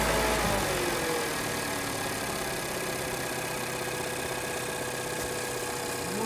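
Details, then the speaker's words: 1.2 TCe on LPG, 200,000 km, untouched, oil changed every 10,000; checking alternator clutch/tensioner for clatter. Even, quick idle beat with steady belt and accessory hiss, no rattles or clacks. Normal idle. "używam częstą wymianę oleju co 10000 dodatki tak jak na moich filmach nie ma żadnych trzasków"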